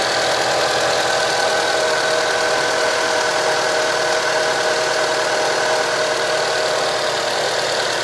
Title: Engine sounds and shakes as if one cylinder intermittently misfired